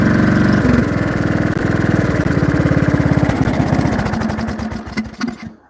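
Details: Briggs & Stratton 16HP single-cylinder engine with the cooling shroud off and throttle lowered. Steady thump slows and fades until it dies after about five seconds: runs but loses power and commonly stalls. Compression not yet checked but feels good.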